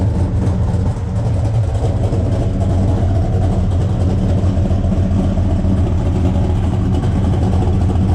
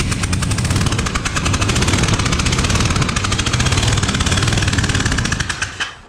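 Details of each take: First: 1972 Buick Skylark 427 V8 first fire and break-in, after a loose cylinder 8 exhaust rocker was found while chasing a clack: deep, even burble climbing smoothly when revved, settling back with no knocks or ticks; engine running healthy. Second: Freshly built 427 V8 in a 1972 Buick Skylark on first fire and break-in, driver's side; rough running with sharp, rapid puffing ticks in an uneven beat, first mistaken for a header leak, caused by a spark plug left out of one cylinder.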